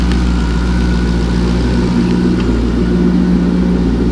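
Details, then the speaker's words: LS2 V8 with about 112,000 miles, cold start after three days sitting with heads near 44°: deep steady idle tuned to about 700 rpm, an even low burble with no ticking or knocking; oil pressure 34 psi, healthy. "so it's been sitting here for like three odd days without starting and it will start up no issues and make no noises"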